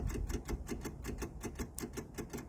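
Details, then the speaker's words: MEP002a military diesel generator from auction, unrun for decades, with rusty fuel, with no engine running before glow-plug preheat. Rapid, even clicking at about six per second from the electric lift pump priming the fuel lines. The clicking should stop once they are full. "all right so this is the prime what happening that should stop clicking at some point kind"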